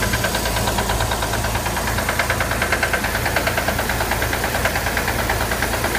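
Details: Corvair engine at steady idle with a sharp, fairly regular deep knock about three times a second over the engine note; owner wonders if it is rod noise, cause unknown.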